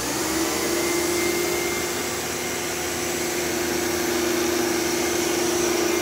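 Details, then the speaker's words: Old bagless Phantom Thunder vacuum running after its tripped reset button was pressed: a smooth, even whir with a steady mid-pitched hum and airflow rush, no rattles or grinding. It puffed out dust but sounds like new; running normally. "so these phantoms are just at least the thunders are just tanks like i can't imagine how much dust and crap is in the motor and it still sounds like a brand new thunder"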